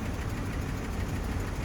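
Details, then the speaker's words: Engine at 200K miles with a lumpy, uneven idle and light rapid tapping under the rumble. It has been ticking too long and sent metal through the engine; bottom-end bearings and oil pump probably scored, so it needs an engine. Lifter tick with cam wear. "Need an engine. Yep. Been ticking way too long. It done sent so much scrap metal through the engine."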